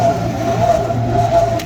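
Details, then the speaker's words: DK2 Warrior Samurai 17,500 lb winch on MAXXD roll-off trailer, after 3 years of daily dumpster loading, reassembled with new gear, battery fully charged: steady motor drone with rough gritty grinding, as if grinding or rubbing on something. "I mean, it sounds like it's grinding on something or rubbing on something real bad, and we have taken it apart twice now, making sure everything's lined up, and it does not want to function."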